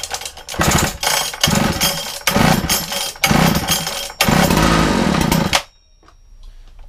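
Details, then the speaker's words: Makita DPC6430 two-stroke disc cutter, started with decompression and choke after carburetor jets were altered earlier: revs rise and sag in uneven bursts before cutting out; running rough, carburetor needs fine tuning. "Running a bit better. I'm now just going to try and fine tune that carburetor. Because I did muck about with it."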